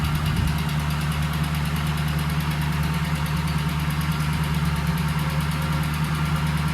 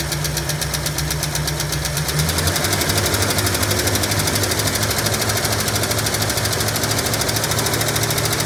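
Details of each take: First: 1965 Ford Mustang coupe, supposedly a 302 engine, previously locked up, parked since 1992, first running on old fuel; steady even low idle rumble with smooth regular beat, no misses or knocks: normal idle. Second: 1965 Ford Mustang coupe, supposedly a 302 V8 installed around 1989–90, sitting 33 years with engine previously locked, first run: rough idle with fast steady light lifter tick, no smoke yet.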